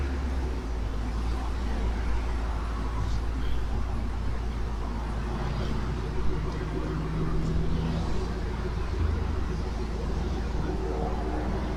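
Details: 2016 Dodge Challenger R/T 5.7 Hemi V8 after installing JBA ceramic-coated shorty headers: deep steady rumble with even firing beat, no ticking or knocking; healthy engine and exhaust note.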